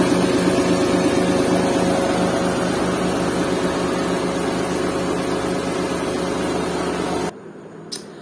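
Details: Restored Suzuki Mehran with 3-speed automatic and 660cc K6A WagonR engine, vibration test with a glass of water on top: even, steady idle hum with no knocks or shakes until shut-off; smooth, healthy normal idle.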